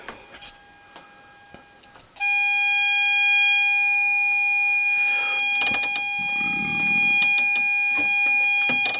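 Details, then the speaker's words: LM386N 0.5 W audio amplifier at 200x gain, loudspeaker output. A clean tone turns into a harsh, buzzy square-edged note. Far too much gain is squaring the sine waves on the scope; the planned fix is about 50x gain plus a preamplifier. "when you say this you can surely see that the amplification is far too high that means that sine waves are changed into square waves and that's happening here"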